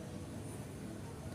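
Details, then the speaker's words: Tornado electric fan powered on but blades won't turn, even on high speed; the motor only gives a steady low electrical hum with no airflow sound, a stalled motor on a seized shaft. "nah disini saya coba berikan sumber namun kipas tidak berputar dan kita bisa dengarkan secara seksama disini terdapat suara dengungan saja pada dinamonya ini mesinnya"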